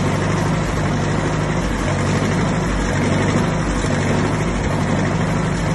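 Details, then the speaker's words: 1959 Massey Ferguson 85 started for the first time in 5 years after new points, a cleaned carburetor and a new solenoid: deep, steady low rumble with an even beat and no knocks or misses; normal running. "Ferguson, 85. Just started up in 5 years."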